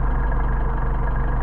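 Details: Car engine idling on freshly prepared Solex 44PHH carbs, synchronized by synchrometer to about 5 to 5.5 on each side: a steady, even low rumble with no misses or hunting. Both carbs are pulling evenly and the idle is healthy.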